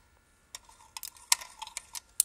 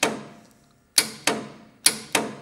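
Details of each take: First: Willys Jeep, engine not running, key switch on, screwdriver touched across the distributor points: irregular sharp snaps and ticks of spark jumping; plenty of good spark at the points, ignition healthy. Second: Willys Jeep vintage engine, starter wire removed to test: sharp single starter solenoid clicks each time the key switch turns and no cranking follows, showing the solenoid is working.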